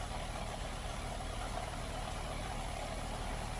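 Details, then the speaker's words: Central AC outdoor condensing unit running, before pressure and amp checks: steady low hum and fan whoosh, even and unbroken, no rattles or buzzing; normal condensing unit operation. "But sound like this in here running good though, folks."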